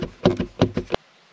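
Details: Unsealed bathroom Mini-Heki roof vent on a parked Pössl camper van, shaken by hand. Five sharp clacks in two bursts as the hatch rattles loosely in its frame; without a seal it also whistles and lets in dirt. It is to be sealed with EPDM tape.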